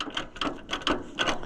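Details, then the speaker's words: Cheap original Allis-Chalmers tractor on a cold day, engine turned over with the hand crank. Bursts of metallic ratcheting clicks come about every half second, and the tractor seems to try to move. Owner suspects it is stuck in gear. "something ain't right there so that's going to be another thing we got to sort ourselves out and it might be I don't know we're going to take the to cover off the side if we have to maybe it's stuck in gear I don't know it seems like when you turn the crank it's trying to trying to leave town"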